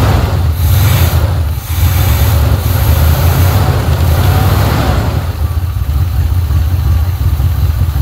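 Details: 1980 Pontiac Trans Am Turbo 301 V8, first start after sitting about 18 years: deep, even idle rumble with no knocks, ticks or misses, a great-running motor that didn't make a single noise; normal idle.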